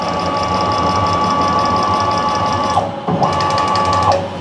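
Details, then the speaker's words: PM-727M milling machine CNC conversion: steady axis motor whine with light, regular clicks that stop when the axis stops; caused by plum (spider) couplings rubbing, and the noise goes away when sprayed. "So, I was really happy to find out that it was something as simple as uh just those plum couplings rubbing."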